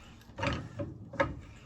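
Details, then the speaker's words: Harbor Freight 3-ton low-profile floor jack, nine years old, after fluid top-off: two firm pump strokes, each a solid clunk with short creak, no hiss or slip; now lifts through full range instead of only lower range. "Now, every pump is pretty solid."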